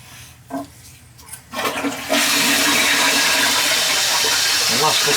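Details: Toilet after replacing a bent, leaking flapper: a strong rushing flush and a steady gurgling refill with no dripping afterward. The tank now seals properly.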